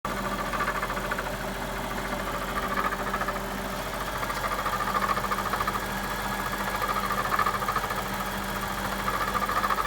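Steady V8 idle with a faint irregular ticking riding over the hum, about three a second; something abnormal but the source is unclear.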